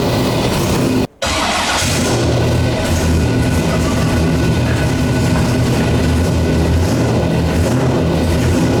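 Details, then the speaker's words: C6 Corvette drift build with a 427ci single-turbo LS V8, started again after crank/cam sensor wiring swaps, no throttle. Loud, lumpy V8 catches and keeps running, rough and unsteady as idle isn't set up yet. "but it starts let's start it again just for fun just cause why not"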